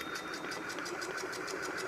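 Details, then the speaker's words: Ceiling fan running gives a fast, even clicking knock, about six a second, and jerks, shaking the whole assembly; fixed without replacing the bearing. "जो कि बहुत शोर करता है खट-खट की आवाज करता है चलते समय खट-खट करता है और पूरे NDA को हिला देता है"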